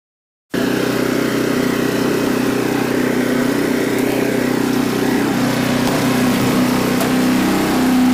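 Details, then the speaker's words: Troy-Bilt Horse tiller after renovation, test tilling in low gear set deep, hitting a few rocks: single-cylinder engine holds a steady, even chug with no knocks or misses; a brief belt squeal was heard once; normal running. "Make a pass coming back. I'd say that works working pretty good."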